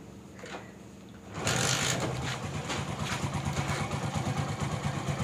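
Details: Bajaj CT 100 motorcycle, 17,000 km, customer complained of engine noise; after repair, retightening and fresh engine oil, it fires up and settles into an even, steady idle with no knock, tick or rattle: normal idle.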